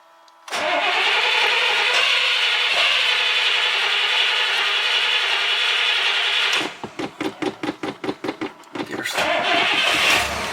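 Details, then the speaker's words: Carbureted vehicle being started with the accelerator pump: about six seconds of steady starter whirr, then stuttering cranking with no firing; hard start, owner thinks it needs more gas. "Now she needs more gas, not less gas."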